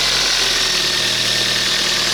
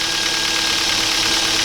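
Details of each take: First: 2007 Kia Ceed 1.6 petrol, 150,000 km, after intake cam phaser replacement and loosening an overtightened alternator belt: steady, even idle with only faint valve ticking, clearances in spec, no rattle or knock; earlier noise gone. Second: 2007 Kia Ceed 1.6 petrol, 150,000 on the odometer, cold idle: fast light clatter from the top of the engine that sometimes fades when warm; oil consumption up; suspected intake cam phaser, replacing it cured the noise.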